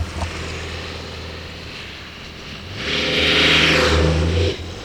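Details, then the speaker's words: 1997 Dodge 12-valve Cummins 215 hp, wrecked truck: steady drone swelling smoothly under load, no knocks or misses; normal running. "yeah so that thing just purrs like a kit"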